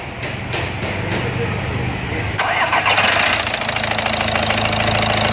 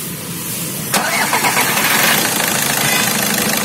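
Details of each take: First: Volkswagen Vento 1.6 TDI, cold start after standing overnight, wiring loom replaced: a few quick starter turns, catches at once and settles into a steady, even idle with no stumble; normal cold start. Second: Volkswagen Vento 1.6 TDI, knocking and pickup issue, no warning light: engine starts smooth, then begins missing with an uneven, stumbling beat and shakes, nearly stalling; suspected loose fault in the engine wiring loom.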